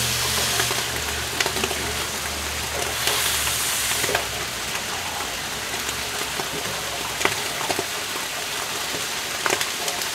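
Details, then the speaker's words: Vapor phase soldering machine heating bath with water over Galden; steady fine crackle like frying oil with sharper pops about every second; user suspects Galden boiling and bubbles collapsing in colder water, not confirmed. "I think the Gin is boiling and when the bubbles collapse because they're hitting the colder water because it has a higher specific heat capacity"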